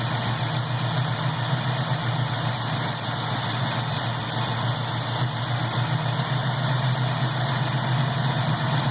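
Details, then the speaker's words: 1967 Pontiac Firebird V8 with a newly installed warranty-replacement Holley carburetor, idle raised and air-fuel screws adjusted: steady, even idle with a smooth low rumble and no misses; normal idle. "close to where Harley had it to begin with that sounds pretty good there I like that"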